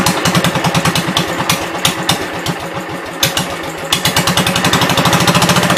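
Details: 1972 Gravely 430 single-cylinder engine running after fuel system restored (small drip at fuel pump inlet, earlier stuck valve, presumed exhaust): chug about 3.5 pops per second, uneven with revs, no knocks or clatter; high-low axle works, moves forward and backward; normal running.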